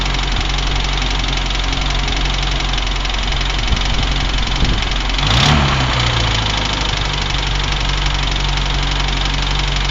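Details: UAZ engine at low idle with throttle blips: a faint dull knock rides on the steady idle, blip around five seconds; unexplained engine knock.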